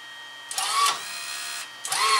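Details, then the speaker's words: Fujipla ALM series laminator cutter unit after clean, lube and retensioning the drive wire: two short smooth cutter strokes with even whirr, no catching or grinding; cutter running efficiently after adjustment. "let's listen to the cutter again it sounds really good so much more efficient than the way it was"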